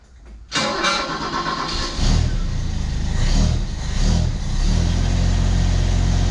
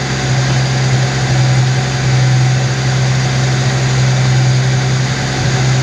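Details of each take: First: 1991 Ford XF Falcon ute recovered from a paddock, with a new muffler fitted: a quick crank, fires and revs lightly, then holds a low, even idle with a soft, muted exhaust note, the quietness credited to the large catalytic converter; it still stumbles slightly. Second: 1991 Ford XF Falcon ute, farm-paddock rescue, steady deep idle with an even beat and no misses; idle speed rises as the distributor is turned toward advance. Owner thinks timing is still too advanced from how it holds revs, possibly a vacuum leak.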